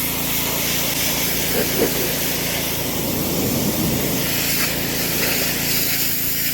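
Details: DeWalt DXP3123 pressure washer with Honda GSV170 engine, pawn-shop unit with old gas and a missing air filter housing, after line purge: steady water-spray hiss over an even engine drone, no bogging or surging; plenty of pressure, running normally under load.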